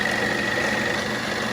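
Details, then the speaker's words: 1940s RCA 16mm projector running forward on a replacement Bell & Howell spring drive belt, with grease on the gears: a smooth whir of steady pitch with no slipping or clatter as the belt turns; the repair succeeded, normal running. "Going smoothly. Oh man, it sounds good. Belt's turning."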